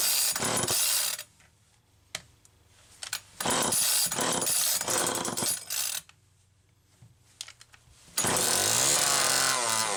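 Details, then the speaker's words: Chainsaw XL-2 two-stroke after crankcase reseal and spark plug wire repair: revs high and hard in bursts with no steady idle, racing because the idle speed screw was turned almost all the way in; wrong carburettor circuit plate gasket also found. "Okay. Well, I know it was running goofy before because the idle speed screw was run almost all the way in. That's why it was racing like that."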